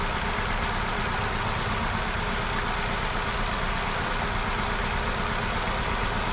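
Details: Hyundai Venue with P0300/P0301 codes: shaky, stumbling, unstable idle with an irregular thump about once a second; cylinder one dead because the ECM was not supplying its injector (cylinders 1 and 2 had no injector supply), fixed by ECM repair.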